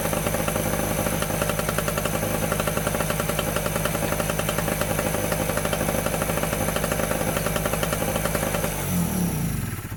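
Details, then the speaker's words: Medusa Compact 950 generator two-stroke engine, running again after a new fuel tap was fitted: fast, even firing holds steady about nine seconds without misses or surging, then dies away; engine sound healthy, though it is not generating electricity. "So but yeah, I'm happy I've got it running now, so that's one thing down. It'll be a shame to break it into spares because the engine sounds sweet as a nut."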